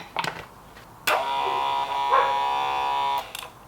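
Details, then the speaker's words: 1988 Ford Sapphire RS Cosworth ABS pump motor bench run after topping up the brake fluid. A steady electric whir for about two seconds that starts and stops cleanly with no grinding; the pump runs healthy. "sounds all right I am going to put just a smidge more brake fluid in just to make sure it's pumping it around"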